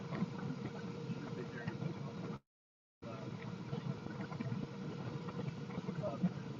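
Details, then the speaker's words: Master Airbrush paint booth exhaust fan: loud steady rushing hum with a faint constant tone and no ticking or rubbing; the original fan running normally and moving a lot of air. "And it does move quite a bit of air."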